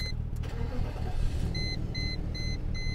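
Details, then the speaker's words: Cheap Copart car idling very smoothly, low even hum with no misses or knocks, dash chime beeping; car stuck in limp mode with incorrect gear ratio message, owner thinks transmission or conductor plate; normal engine idle. "but this car idles so smoothly so brilliantly"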